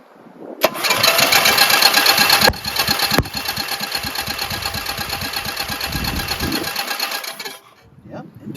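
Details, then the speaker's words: 14hp single-cylinder Briggs engine from Simplicity tractor after synchro balancer and bearing sleeve rebuild, no muffler, weak battery: light easy cranking with little compression, pops but won't start; cause unconfirmed: cranks but won't start. "So, it's getting spark otherwise it wouldn't pop. But it's not it's not uh going to engage."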